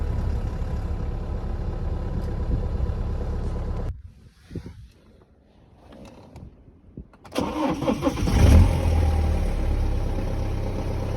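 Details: 2011 BMW 318d N47N diesel on cold start: runs, shuts off, fires up with rough metallic clatter over idle; timing chain rattle, N47N noisy only at cold start, not when revving, due to newer 24mm tensioner; replace chains, guides, tensioners.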